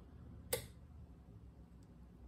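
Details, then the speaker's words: Nomadic Technologies robot, 12 V battery at about 13 V, slip-ring pin seven jumped to 12 V positive: two sharp, clean relay clicks about two seconds apart, all three motor drivers powering; normal relay clicking. "and I jump that straight to the positive of the 12vt we get relays clicking and lights coming on on all three motor drivers so that's good"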